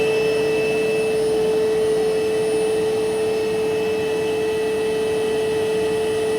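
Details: Electrolux Quiet Clean central vac main unit heard downstairs beside it while running: steady high-pitched whine with even air rush, no wavering or rattle; motor healthy.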